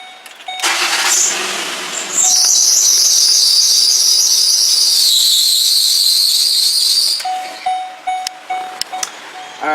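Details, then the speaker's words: 2006 Ford Explorer 4.0 V6, 118,000 miles: loud, shrill, wavering serpentine belt squeal at startup after the belt came off and the tensioner and idler were replaced; the cause was a failed, chewed-up harmonic balancer. "started it up and it started squealing let me give you let me start this for you so you can hear the squealing"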